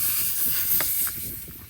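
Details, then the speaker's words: Steady, sharp hiss of air escaping from a punctured tyre on a diesel bowser, fading over two seconds, before the hole is reamed and plugged. "located you can hear it hissing away anyway hopefully this will just plug it"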